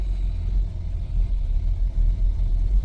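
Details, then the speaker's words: 28-year-old six-cylinder vehicle that sat in a field 5 years, cold start on a rainy morning after an IAC replacement: lumpy idle with irregular dips and stumbles; owner suspects old spark plugs of over 50,000 miles cause the misfires; start much improved. "Now we got some misfires. That's the spark plugs, but that is a much better start."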